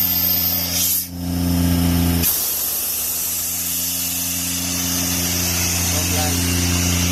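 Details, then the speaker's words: Airman PDS90 air compressor, 3-cylinder diesel, used import, mostly original; steady even diesel drone and low hum, then loud air rush as valve opens; engine holds speed, strong air delivery, gauges normal, working well. "ใช้งานได้ดีครับลมแรงนะ"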